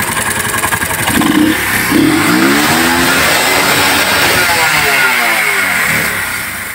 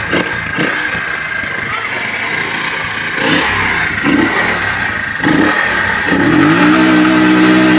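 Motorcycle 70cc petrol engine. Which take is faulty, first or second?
second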